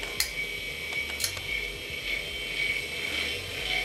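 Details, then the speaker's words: Hard drive on a repaired A2090a controller in an Amiga 2000: irregular mechanical clicks and ratcheting about twice a second over a faint whine; noisy disk, head suspected to have given up, computer continuously rebooting. "Wow mmm that thing is quite noisy"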